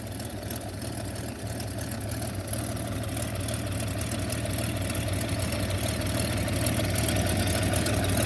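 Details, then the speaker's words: 1929 Buick, just after an oil change with spilled oil burning off: even idle with light regular ticking about three a second on top. "You can hear the valves ticking."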